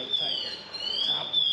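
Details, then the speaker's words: Firefighter air pack PASS alarm: loud shrill warbling high tone because the wearer stood still too long, pre-alert before full alert. "You hear that beeping? That goes off when a firefighter is at a standstill for too long. If you don't move, the alarm goes off."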